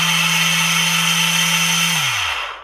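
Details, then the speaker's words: Old Black & Decker saw after replacing the failed bottom 607 bearing: steady high motor whine with a coarse buzz, dropping in pitch as it spins down; still rough, possibly worn motor bronze bushings; rough-running motor. "still sounds a rough but she's running for all the price of a 607 bearing she's worth it"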